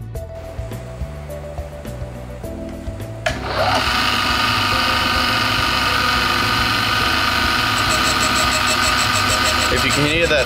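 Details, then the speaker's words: Toyota 3SGE cylinder head (for a 5SGTE build) valve being refaced on a valve refacer set to 45 degrees: the stone whirs with a faint, uneven rasp pulsing each turn, showing the valve face is not concentric and needs more grinding. "can hear that inconsistent noise, that means your valve face isn't concentric."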